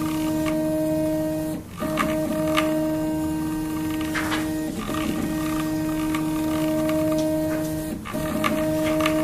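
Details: Prusa i3 MK2 3D printer Y (bed) axis after replacing three Y-axis bearings to cure bearing noise: clean, steady stepper tone with no rattle or grinding; normal axis motion.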